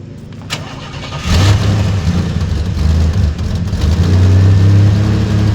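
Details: Third-gen Firebird: a quick start that settles into a smooth, even low rumble with no ticking or puffing. No exhaust leak is heard.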